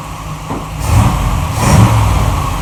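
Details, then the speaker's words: 1947 Ford Tudor street rod, freshly rebuilt zero-mile V8 with new 9.5:1 pistons and Holley carb: whistle cured, traced to the carb base; stuck-open secondaries freed; deep rumble swelling on two quick throttle blips, no whistle, carb pulls clean. "so my whistle is gone it sounds like a normal Holly now so it was definitely the base"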